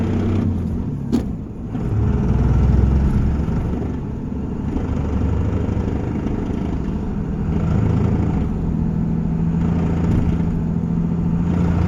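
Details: 2001 Cummins diesel pickup while driving: deep engine rumble carrying a rough, uneven rattle like an exhaust leak; cause unknown.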